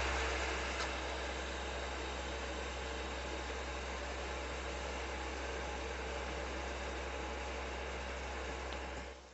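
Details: Nintendo Wii disc drive reading Super Smash Bros Brawl, the only disc that does this: loud steady whirring hiss with low hum, slower, delayed reading; owner asks if normal, suggests checking the disc.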